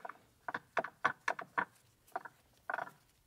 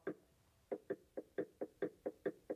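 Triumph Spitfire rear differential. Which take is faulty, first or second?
first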